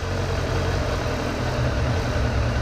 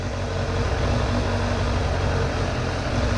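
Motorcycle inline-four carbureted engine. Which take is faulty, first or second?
first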